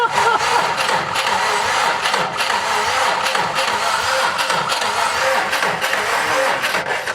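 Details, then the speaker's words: Subaru WRX STi during a compression check, with plugs and coils bypassed and cylinder 2 flagged by P0302: sluggish, uneven cranking thumps at about three per second that never catch. The battery was too weak from sitting, so a fresh battery was used. "That battery was too weak because it's been sitting for a while."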